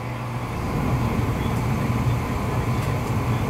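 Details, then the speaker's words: American Standard gas furnace after inducer start and pressure switch closing, voltage still applied: steady low hum with an even rushing burn, no popping or dropout; burner lights and holds flame normally. "But see, here she goes. She's going to fire and everything."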